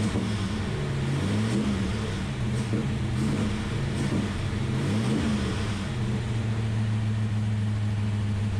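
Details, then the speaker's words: Ultima GTR V8 supercar sat 7 years unrun in a warehouse, cold, no coolant yet, oil pressure confirmed: even idle then several clean throttle blips, pitch rising and settling without stumble or knock; healthy, no apparent injector problems. "All right, guys, there you have it. The Ultima GTR is alive, and honestly, it runs surprisingly good for having sat in the corner of a warehouse for 7 years, not running."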